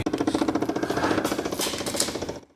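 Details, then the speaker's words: 2008 Chevy Impala: fast, even clicking heard from behind the dash on the right side behind the glove box, from a failed blend door actuator; fix is replacing the actuator. "It's a 2008 Impala, and its blend door actuator makes a really horrible clicking noise."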